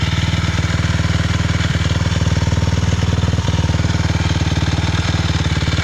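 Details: 2006 LTR 450 making a weird noise, with quick, even single-cylinder thumping and occasional sharp backfire pops every second or two; it still has power, cause not yet found.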